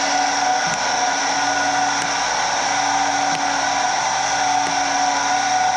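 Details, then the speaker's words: Stenner peroxide injection pump for well water, after tube replacement, dial turned back to about 5 for a final run; even motor whine with a soft click about every 1.3 seconds as the rollers pass. Smooth, steady, healthy; normal pump running. "Ours is running, I would say, perfectly level or straight or whatever."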